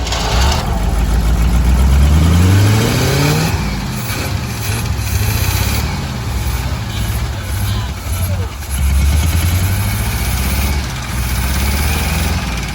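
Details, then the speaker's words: 1985 Chevy C10 square body, 305 V8, new distributor, timing/carb being adjusted, vacuum leaks present, hot day: engine catches and revs, then speed sags and surges unevenly and it dies; cause not confirmed. "I know no it just died is that progress y'all"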